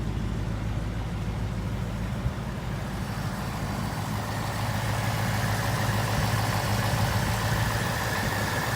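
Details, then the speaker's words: 2018 Ford Mustang GT V8, used with about 12,000 miles, at dealership idle: low, even burble with steady beat and no ticking, smoother than new ones heard; buyer checking for typewriter tick; normal idle. "with 12,000 miles on I think this sounds better than the brand new one all the new ones that I've been looking at firing those up this one seems like smoother running"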